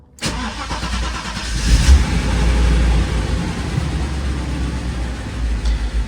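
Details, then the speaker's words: Mercedes 500SL V8 that had refused to start, heard after repairing the fuel pump connector: the pumps prime, then it fires on the first crank and settles into a steady, deep idle. The earlier suspect, the fuel pump relay, was not the cause. "Au quart de tour, et voilà, problème résolu."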